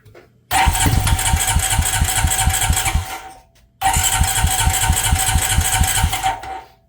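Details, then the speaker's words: 2000 Honda Rancher ATV with new starter, after the burnt-smelling old one was replaced: catches immediately on the starter button, single cylinder fires with quick even pulses, runs cleanly; also pulls over easily on the pull start. "Alright, it works by the starter button now. Let's see if it pulls over easily at the pull start."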